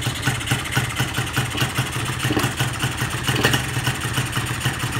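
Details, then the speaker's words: Carbureted engine with the idle/air screw backed fully out: revs pulse and stumble, then the engine dies when opened toward 1/4 throttle, showing the pilot jet is oversized and running rich. "Ok, tak mati. Tapi kita cek dekat 1/4 dia boleh buka tak. Tengok dah mati. Tu tanda pilot besar juga lah tu."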